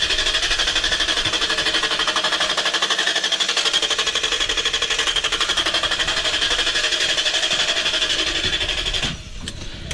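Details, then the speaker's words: Range Rover L322 4.4 V8 petrol with the fuel pump deliberately switched off: the starter cranks in a steady chatter about four times a second but the engine never catches; crank no start from no fuel delivery, restarts with pump on. "answer is it stops really fast and then it won't restart almost like it ran out of fuel almost like the fuel pump was dead"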